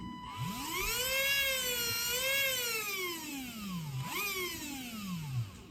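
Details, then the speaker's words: HobbyWing 1060 ESC on an RC setup with battery, receiver and motor connected, after replacing and soldering a new on/off switch; clean motor whine sweeping smoothly up and down with throttle, no grinding, everything working. "so yep it's all working guys that's good news for me now"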